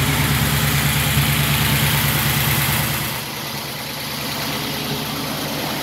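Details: 1931 Willys, engine just reassembled with hood and radiator refitted, in neutral: smooth, regular idle at about three beats per second, no knocks or misfires; runs healthy.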